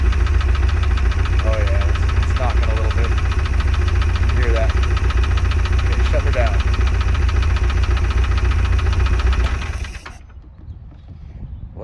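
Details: Glastron Carlson CVX-16 boat engine at first test fire after sitting: low steady idle with a light, fairly regular knock about three or four times a second, then shut off; cause unknown.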